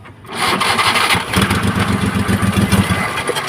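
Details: Maruti Omni petrol MPFI without immobilizer; starter churns the engine over at about four strokes a second but it never catches; cranks fully but won't start; fuel supply to be checked first.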